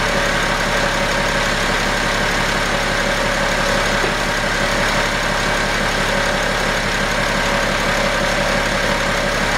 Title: 2011 BMW X5 35D bad idler pulley.